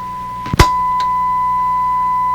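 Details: Sparton 1567 tube radio after extensive repair, fed a signal-generator test tone (30% modulation) during AVC check: click then steady clean ~1 kHz tone, background hiss easing as signal raised; reproducing normally.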